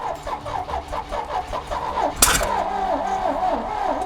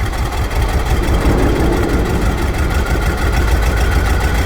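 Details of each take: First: 1968 GMC truck, not run in over 30 years, running on a clean main tank with fuel pumped and throttle applied: slow rhythmic cranking, then one sharp pop back through the carburetor; a cylinder hangs a sticking valve and fires into the intake. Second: 1968 GMC truck with a 427 V8, first start after sitting 30+ years. Catches with an uneven, lumpy beat, then settles into a steady, deep, even idle once all cylinders fire; normal idle.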